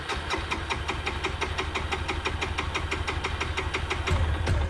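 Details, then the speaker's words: 2002 Suzuki GZ250 single, sitting 15+ years, first start attempt with battery boost: slow uneven chuffing about three beats a second while cranking, catching briefly; hard starting, owner unsure if carb is taking fuel or needs priming. "Squeezing the fuel line, I could hear some bubbles coming in and out. I don't know if that just means the carb's not taking anything in and those bubbles just popped up, or maybe you need a little bit of a prime to get it going."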